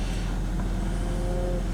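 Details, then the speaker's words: 1995 BMW 525i after replacing a cracked intake hose to the airflow sensor and cleaning the sensor; it had been stalling and idling near 1,000 rpm. Now a steady, smooth, even idle with rpm where it should be; check engine light still on. "Alright, let's give it a test start. RPMs, right where they should be."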